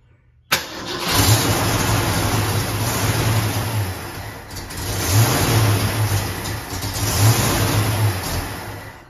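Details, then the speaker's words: Mustang V8 with carburetor: fires straight up, blips throttle, settles into an even, steady rumble with no stumble; running properly. "It sounds like it's hitting on all of them. Yeah. Does it sound that way?"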